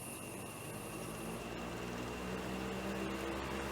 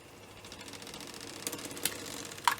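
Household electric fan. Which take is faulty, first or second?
second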